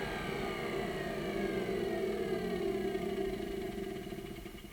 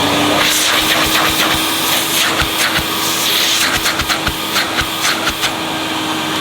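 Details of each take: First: 1988 Hoover Compact Electronic S3462 1,000 W cylinder vacuum at full power, suction around 66 on hose-end gauge: steady high motor tone with airy rush, then slow gradual wind-down; motor sounds healthy. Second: 1988 Hoover Compact Electronic S3462 cylinder vacuum, switched on at full power with suction gauge fitted and burning smell noted: steady high squeaky whine over motor rush, sagging as it winds down; squeal source unconfirmed.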